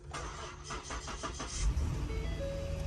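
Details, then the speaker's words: Auction car, first cold start at about 50°F: quick crank catches cleanly and settles into a smooth, steady idle with no misses or knocks. No dash lights, healthy start. "oh it sounds good no lights on the dash this the first cold start so it will idle down but the motor sounds good motor sounds very good"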